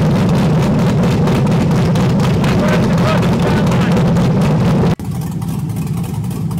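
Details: LS V8-swapped Miata with cam, freshly tuned, after loosening an over-tight throttle cable that caused high idle: loud, lumpy cammed idle with steady lope of about four pulses a second, then cuts back sharply to a quieter run.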